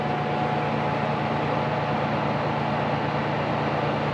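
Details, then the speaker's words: Vintage Dr Pepper coin-op refrigerator after new thermostat install to fix icing: constant smooth hum with steady fan whoosh, no clicks or rattles; compressor housing warming, compressor running normally, partly masked by fan. "I can feel the compressor housing here physically getting warmer, and it sounds to me like it's on. You probably can't hear it there because of the fan, but it sounds to me like the compressor is in fact running like it should."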